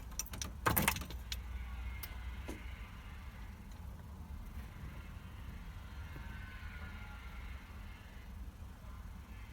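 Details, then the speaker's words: Volvo 480ES barn find with replacement ECU fitted, fuel pump disconnected, at key-on: a few crisp clicks then quiet background; fuel pump relay engaging as it should, with ignition lights expected. "what we should hear is when I put the key in we should hear the fuel rate relay come on and we should get ignition lights"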